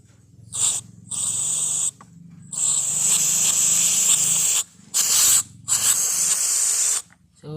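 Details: Isuzu diesel injector, nozzle 144PN 309, on a pump test: short, coarse, uneven hissing bursts on each stroke with no crisp chatter; nozzle hole worn oversize and carbon-fouled, nozzle to be replaced.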